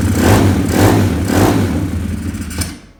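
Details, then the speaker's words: 2020 Orion RXB 150 single-cylinder pit bike, before repair: uneven surging revs that pulse and stumble then die away; rough running blamed on an unjetted aftermarket carburetor, with some smoke from oil overfilled to the brim. "It doesn't run very good because this engine does not run very well because the carburetor is not jetted at all."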